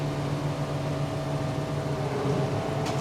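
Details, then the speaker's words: JF forage harvester after repair, being revved with the pickup reel turning: even mechanical hum with a steady low drone and no knocks or squeals; normal running, though a tine or two still rattles. "Good sign, sounds normal. Rev it up. Pickup reel's going. Looks to be good to me. No unusual noises."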